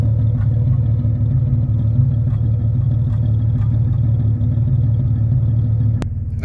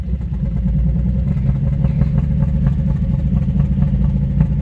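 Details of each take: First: Year 2000–2001 Jeep Cherokee XJ 4.0L inline-six idling a few minutes after new spark plugs while the computer relearns; deep even low rumble with steady beat, no misses or ticking, healthy idle. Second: 2000–2001 Jeep Cherokee XJ 4.0L after a spark plug change, driving: it barely idles, shakes, and stumbles and clatters irregularly when accelerating. Misfire from a coil rail connector left loose because its red safety pin was closed.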